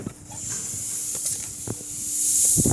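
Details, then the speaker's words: Bicycle inner tube that has sat for months and can't be pumped up: a sharp, continuous high hiss with a few handling bumps, air escaping from the hole at an old patch that failed to seal. "Now you can hear this one I can't really pump"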